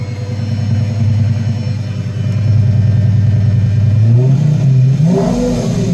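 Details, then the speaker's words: Pre-LP Lamborghini Gallardo 5.0 V10 after alternator replacement (old unit suspected bad voltage regulator): engine catches cleanly, settles into an even idle, then revs smoothly with no misses or knocks; normal start and rev. "cool so it's good then that fixed it"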